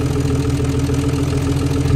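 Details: Nissan R34 Skyline RB25DET just after fitting a replacement CAS sensor (the old one was destroyed): the engine catches and settles into a steady, even idle with a smooth low rumble and no knocks or misses. Oil is seen coming out.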